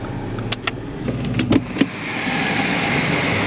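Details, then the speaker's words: Accident-damaged car jump-started with a jump box: the engine runs rough with irregular clattering bangs over an uneven roar, and all dash lights are on. Engine racket, cause unclear. "start it up although that racket from the engine that's not good"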